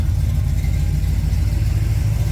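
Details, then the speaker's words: 1969 Camaro's freshly rebuilt 327 small block (bored .040 over, line bored, new cam bearings, H-beam rods, flat-top pistons, 480-lift cam) idles with a steady, even rumble and no knocks; carb untuned, idle just set, running slightly rich; healthy, tight engine. "All right. Super pumped, super pumped. Can tell she's tight. She's a tight engine."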